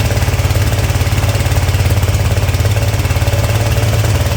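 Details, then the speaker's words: Ariens-made Ever Ride Hornet zero-turn mower, 25 hp Briggs & Stratton twin: steady thumping run with rough, uneven popping out of the intake; suspected intake valve not sealing, possibly from overheating and lost valve guide. "so I don't know if you could hear that kind of popping noise that was going on while it was running but that was coming out of the out of the intake so I'm guessing that we have an intake valve that's not sealing"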